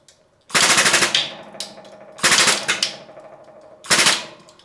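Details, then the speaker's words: Blacksmith press build, frame with freshly painted tacky surfaces: three loud bursts of sharp crackling and creaking fading into ticks as load applies; frame creaking and cracking under pressure. "it's like creaking and cracking or splintering you can hear it doing stuff"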